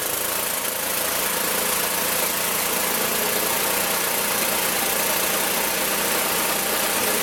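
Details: Magna air compressor, circa-1983 Briggs and Stratton engine, sat 5 years, first start on carburetor alone without carb cleaner: steady even pace, no stumbling, hunting or misses; runs awesome, reaches 100 psi, owner may raise to 120.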